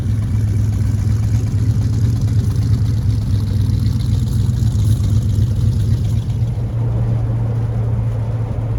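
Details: 1940 Ford Tudor on a drive after new eBay-kit tailpipes were fitted: steady low engine drone, even note, no popping, blowing or rattle; quieter, no more exhaust fumes. Normal running.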